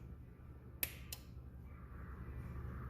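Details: Bench test of a TCCM (transfer case control module) from a 2001 Chevy Silverado 2500HD 6.0 with code C0308 motor A/B circuit low, probe on pin A, main power then ignition on: two crisp clicks about a third of a second apart as the relay pulls in and drops out cleanly.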